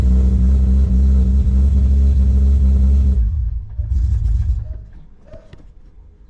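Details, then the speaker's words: Toyota Supra JZA80 2JZ-GTE on Haltech 2000 after full engine rewire, first cold start; low lumpy idle sagging near stall, idle needs raising as there is no idle control yet. "like it needs the idle wound up a little wee bit so we'll do that as it's got no idle control at the moment"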